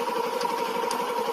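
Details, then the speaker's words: Old first-generation Yamaha Jupiter MX that had a rough noise from the clutch housing. After the repair it idles evenly with a steady mid-pitched hum and sounds smoother than before; pulling the clutch leaves the sound unchanged. "Nah kita dengar ya suara mesinnya masih menjadi lebih halus dari awal-awalnya"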